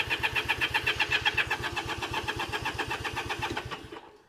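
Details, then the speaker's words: Honda CA78 305 Dream, sat 14 years, after the carb was hosed with carb cleaner and the bowl soaked, throttle still seized, jets suspected blocked: starter cranks at about four pulses a second, slowing, never catching. No fuel reaching the cylinders. "let's see if I can find the choke nothing we're not getting any fuel we're not getting any in there"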